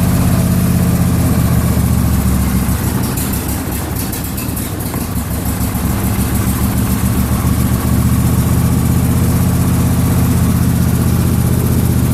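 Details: John Deere LA150 lawn tractor, nearly 300 hours, warming up after refuelling: steady, even low-pitched putter at idle with only a slight dip midway; carburetor good, twin running smoothly, normal idle.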